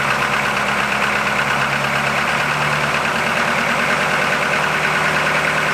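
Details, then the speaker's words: 1981 Buick Century with 350 diesel V8, just started with glow plugs not working and one unhooked: lumpy, stumbling idle under loud clatter; misfiring, not firing on all eight cylinders. "We're not hitting on all 8, that's for sure, but it's hitting."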